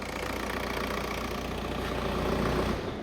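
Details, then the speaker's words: Seat Leon 2.0 TDI 140bhp BKD diesel, a non-runner with a snapped cambelt and suspected bent valves, after cambelt repair: it starts and settles into a steady, even idle with a smooth clatter and no knocks or misfires. "Ready for the first start? Woo! She runs! Yay!"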